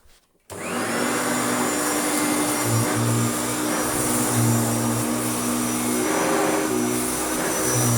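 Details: Restored Hoover Turbopower U2724 upright vacuum with a new belt, cleaning a stiff wall rug: strong, steady motor roar with constant tone and a slight brush beat on the rug; normal, healthy running.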